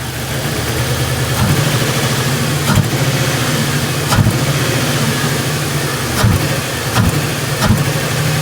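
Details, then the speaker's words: 1998 Ford Crown Victoria P71 that sat long with rotten gas: uneven shaking idle with irregular thumps and stumbles about every second; misfire, owner suspects fuel injectors, earlier suspected water in spark plug wells after pressure washing. "yeah it ain't supposed to shake like that yeah yeah it's kind of rough"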